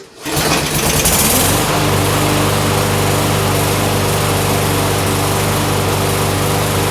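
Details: Push mower single-cylinder engine after sitting for years, started with primer and a pull; settles quickly into steady even buzz with no misses or knocks; runs normally.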